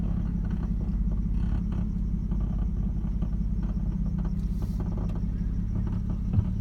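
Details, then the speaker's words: 2009 Nissan Maxima: fast, uneven clicking from the passenger-side engine bay over a low engine rumble, only when braking or reversing. It is the same cold or warm. Cause is unknown. "so when I break or when I'm in Reverse like pulling up to a stop sign or to a red light there's that noise that happens"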